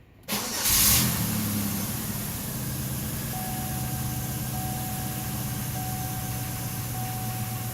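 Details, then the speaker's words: 2003 Chevrolet Impala, 3.4 engine, after EGR valve replacement and clearing code P0401 (insufficient EGR flow): cranks, catches quickly, settles into a steady even idle with a faint light tick the owner says these engines always have; normal start and idle. "These engines have always had some sort of a little tick to them. I had a 31 that did the same thing."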